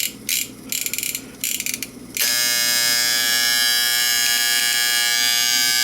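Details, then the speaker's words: Late-1960s/early-1970s Sankyo Seiki mechanical digital rolling clock. The alarm buzzer is driven off the motor winding. A few handling clicks, then a sharp, high, steady, unbroken buzz. Normal alarm buzz. "So yeah, it just runs off this. It runs off the motor winding. That's all it does."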